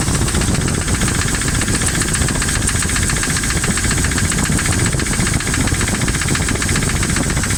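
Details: Jeep 4.7 V8 after the valve stem seals were replaced: a steady, fast ticking over a rough running engine; the hydraulic lifters and rocker arms weren't marked and got mixed up, which the owner suspects causes the tick. Cause unconfirmed.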